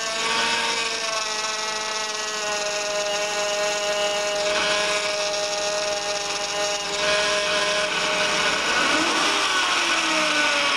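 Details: 2004 Honda Pilot, cold, before repair, steering wheel being worked. Loud high-pitched whine bending in pitch. The power steering pump draws air through contracted old O-rings on the outlet pressure line and return hose; the fix is new O-rings and reservoir.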